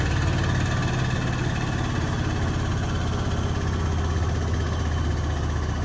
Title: Beko UNBALANCED & NOISY final spin